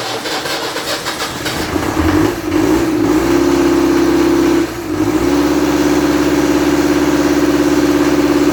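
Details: Land Rover Series 3 diesel, first start after bleeding the fuel system and adjusting the pump stop: catches, stumbles briefly, then settles into a steady clattering run with an even drone; running on fuel now.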